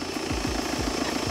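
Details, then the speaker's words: Salvage-auction wrecked 2016 BMW F22 2 Series at idle, front end: airy turbo whoosh louder than normal because the intercooler is missing and the turbo is exposed; it has a dump valve, and otherwise the engine sounds good. "now listen to that you can hear the turbo"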